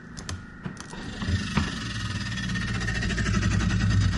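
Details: Samsung RS263TDRS refrigerator: rapid clicking about four per second over low hum, growing louder, from evaporator cooling fan blades hitting ice buildup, stopping cold air distribution.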